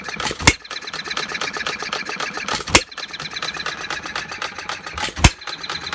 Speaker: It's firing, it's time of firing in between fires, in between compression cycles is so far apart that it pretty much cools down.